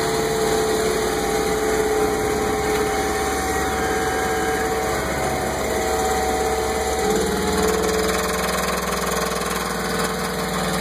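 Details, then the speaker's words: Mercruiser 5.7L V8 boat engine idling rough with a loose knock of about four beats a second. It appeared suddenly after lower-end U-joints and the helm shifter were replaced; new plugs, distributor cap and timing adjustment didn't fix it. "I don't know what's going on back here. She's running rough too."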